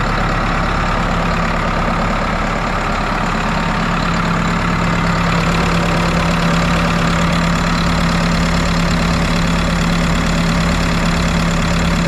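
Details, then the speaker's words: New Holland 6610S tractor, 5.0L Genesis 4-cylinder diesel, idling after head gasket and valve job; even steady clatter at constant speed, no misses or knocks, no radiator bubbles; running good. "But it sounds good, it's running good. Don't see any bubbles in the radiator, so that's a good start."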